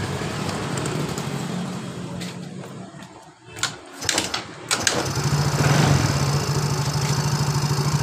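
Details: Yamaha Mio J scooter that stuttered and stalled while riding, now idling steadily, briefly quiet with a few clicks, then firing straight up and idling evenly after refitting the loose spark plug cap.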